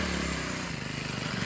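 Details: Troy-Bilt TB6044XP four-stroke string trimmer, about four years old, after a full overhaul: buzzes at a steady, even speed with a clean rhythm and no misses; normal running, sounds healthy.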